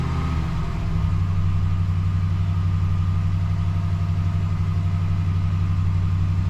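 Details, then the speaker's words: 2012 Ram 1500 idling about 30 seconds after oil change restart: steady even low rumble, no ticking or knocking; sounds good. "so now that it's done for a good you know 30 seconds sounds good you don't hear any knocking"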